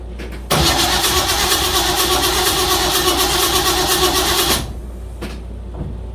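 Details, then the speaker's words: Starter cranks the 307 V8 of a 1956 Chevy Bel Air, after a lifter replacement, at an even beat for about four seconds, but it never fires; owner suspects a disconnected wire. Crank, no start. "I don't know why she's not kicking. Let me let me let me noodle with it and see if I don't have a wire disconnected or something."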